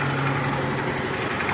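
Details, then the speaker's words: Honda Bros 150 motorcycle single-cylinder after both rocker arms were replaced, idling steadily with an even low hum, oil reaching the top end, and the loud valve clatter gone; a slight tap remains, attributed to the cam chain. "motinha tá subindo óleo perfeito zero aí ó gostei tá muito bom mesmo isso é para vocês ver a diferença que faz os balancin certo quando coloca novo perfeito"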